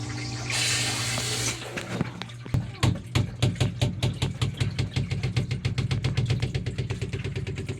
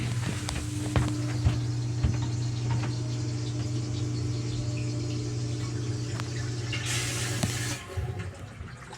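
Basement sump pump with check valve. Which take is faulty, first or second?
first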